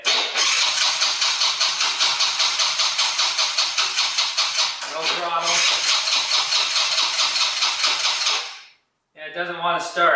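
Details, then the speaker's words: 2020 Yamaha Grizzly 90 ATV that runs only on choke, cranking with choke off and throttle half open on a weak battery: steady cranking at about 2.5 beats per second without catching; won't start. "now this is choke off oh that actually sounded promising let's give it half a squirt we'll try to start it again with the choke off"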